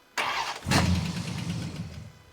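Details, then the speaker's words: 1959 Ford F100, 302ci (5.0L) V8, 650cfm carburetor, C4 transmission, with lifter tick: starter spins, the engine catches, runs about a second and dies because its temporary fuel system was removed. Fuel starvation. "That's right. I undid its temporary fuel system, so it was only going to run for a second."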